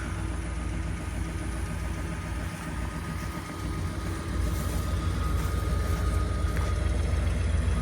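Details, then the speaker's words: 1972 Ford F100 abandoned junkyard truck, running on rebuilt carburetor: deep low V8 burble idling smoothly, loudness rising slightly but rhythm even, no knock, no smoke from exhaust, just purring; normal idle. "no smoke no smoke coming out guys just purring just purring"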